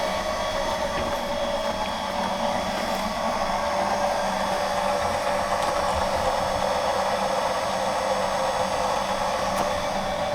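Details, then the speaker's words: Lippert leveling system on a fifth-wheel RV, jacks down about 6–8 inches, retracting all jacks: steady, even electric motor whine at one pitch; jacks retract normally, though control board suspected bad overall. "You can hear them retracting. You can see them retracting."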